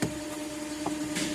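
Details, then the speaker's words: 2002 BMW X5 automatic idling with reverse selected gives a steady mid-pitched whine and won't move. The whine also occurs in drive and stops in park and neutral, and gear recognition reads correctly. "I've gone into reverse. I don't know if you can hear the whine now that I've closed the door."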